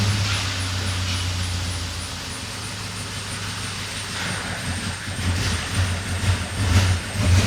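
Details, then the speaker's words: BMW bought cheap in poor condition, fuel pressure gauge fitted before the injectors: uneven, stumbling idle with irregular deep thumps about twice a second and surging; runs extremely rough because fuel pressure is well below the 50–72 psi spec. "of course no enough F pressure at all disappointing but to be honest I'm not surprised at all knowing the car condition that's why you can hear the car running extremely rough"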